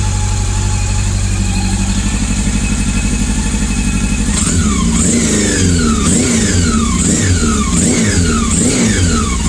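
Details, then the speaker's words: Honda CB400 four-cylinder motorcycle idling, then six quick throttle blips, with an uneven beat. Cylinder 3 is not firing while cylinders 1, 2 and 4 are fine, yet the bike still holds its idle. "기통 4개 중에 3번 기통이 터지지가 않는데 소리는 아이들 유지는 문제없고"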